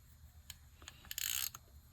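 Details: Dolphin 580 helical-gear ball-bearing spinning reel with anodized spool, fully reassembled after cleaning and lubrication, anti-reverse and override working: light crisp clicks and smooth gear whirr as it turns, no grinding or roughness; normal healthy reel rotation.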